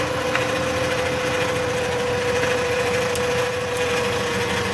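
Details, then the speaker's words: Car over 150,000 miles, check engine light on, engine running with transmission dipstick out: steady high whine over idle, growing louder; fluid brown and smelling burnt. "Now let's take a look at the fluid, guys. Here it comes, it's getting louder and louder."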